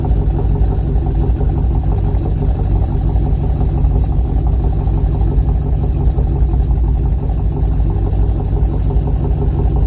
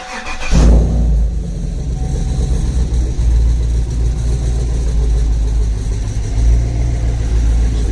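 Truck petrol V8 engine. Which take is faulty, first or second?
second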